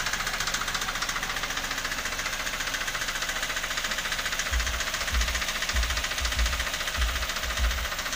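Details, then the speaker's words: Toyota Avanza gasoline engine sounding like a diesel: rough, limping idle with a dull regular knock about 1.5 times per second over a rattly top end; mechanic diagnoses piston slap and says the engine needs an overhaul. "Kalau indikasinya, indikasinya papi kembar, ini pistonnya ngeplek. Kemudian ini juga bagian atau ini ya, pincang dia teman-teman ya, sahabat. Pincang, suaranya kasar."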